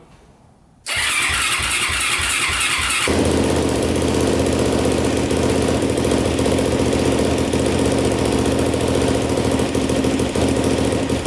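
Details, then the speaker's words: 2007 Yamaha YFZ450 quad, bought in pieces after sitting a while, first start on choke after reassembly: catches into a fast, busy idle with a loud top-end tapping over the exhaust and no smoke. Owner suspects the timing chain, despite it checking tight, or possibly the valves. "all right well uh it runs pretty good i hear a little bit of tap and noise i don't know if it's the valves or the timing chain i kind of suspect the timing chain even though it was pretty tight when we checked"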